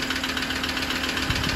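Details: 2016 Ford Ranger diesel idling with a light, rapid tick-tick ticking over a steady hum, bought in England; cause not identified.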